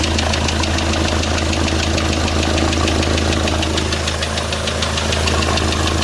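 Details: D4CB diesel knocking after break-in: sharp steady metallic knock at idle, about three a second; a broken piston cooling jet strikes the piston, leaving a visible mark on it.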